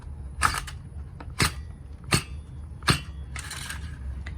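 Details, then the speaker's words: Fairly new small two-stroke strimmer that won't start properly, compression check with a slow starter pull: four distinct puffs about a second apart, each pushing back firmly; good compression. "you see how mine makes a little p p p sound that means mine has very very good tension it's because this is quite new"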